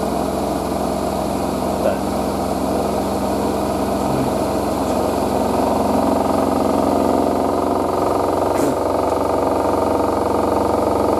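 Steady high spin hum with a fast, even drum rhythm and no banging or heavy rattle; the spin sounds smooth and balanced.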